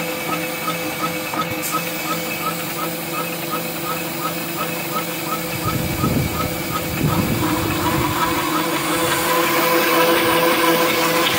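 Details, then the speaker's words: SVPG-2 slotting/drilling machine (Dnepropetrovsk plant), repaired August 2017, automatic two-table mode: right table runs to its stop, then left table starts; steady hum with light tick about three per second, table drive picks up smoothly, normal. "Работает правый стол, когда доходит до упора, включается левый стол. Пошел левый стол."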